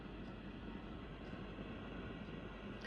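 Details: Marshall DSL5CR 5W valve amp, volumes at zero and nothing plugged in; low fluttering rumble and fizzy buzz unchanged across channels and gain, owner suspects power valves, planning JJ tube replacement.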